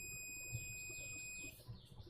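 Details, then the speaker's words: Gigabyte H61 motherboard with no power: steady high-pitched continuity beep about 1.5 s while probing, reading zero; dead short, traced to a brown capacitor. "मैं कर दूंगा, देखो beep की आवाज़। आवाज आ रही है। लेकिन मूल्य शून्य आ रहा"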